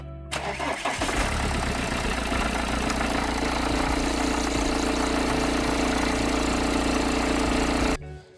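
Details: BMW E91 3 Series diesel starting and idling with a loose, uneven rattle and buzz from the belt drive; persists after fitting a second, used tensioner and a better belt; cause traced to a seized alternator freewheel pulley.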